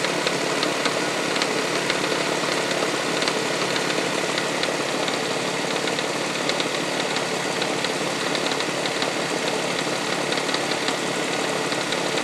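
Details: 1999 Toyota Sienna with a faint, uneven top-end tick over a busy, hissy engine, like something hitting the valve cover; heard at startup, on light revs and around 2300 rpm. Began after six NGK iridium plugs and an oil change. Cause unknown.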